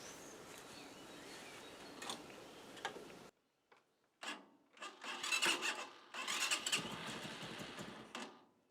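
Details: Motorcycle engine fitted in a homemade tractor, start after wiring a new relay and fuse box: after a pause it catches in a few bursts, runs fairly evenly, then cuts cleanly when switched off with the key; healthy start.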